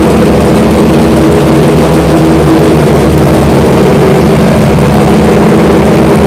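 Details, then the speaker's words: Freshly installed Chevy V8 on dyno, first run and warm-up, timing and fuel ratio not yet set: loud, deep, steady rumble; runs but needs tuning. "but for now we just installed it this afternoon that we got to figure out the timing their fuel ratio"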